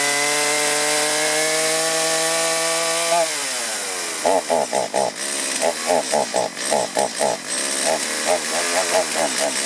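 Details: Stihl chainsaw hard to start after running and bogging on acceleration, before carburetor adjustment: two-stroke revs high then sags and stumbles into choppy on-off bursts under throttle; bogging from a gummed carburetor.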